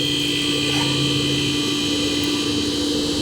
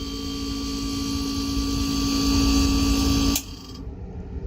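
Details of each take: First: Refrigerator not cooling, compressor not turning on, after replacing the compressor start relay: compressor starts immediately and holds an even steady hum without clicking off; compressor and capacitor were fine, running normally. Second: Refrigerator not cooling, with the old compressor start relay and capacitor fitted: fan runs, steady hum and drone for about five seconds, then a tick and cutout. Start relay or capacitor suspected. Compressor short cycling.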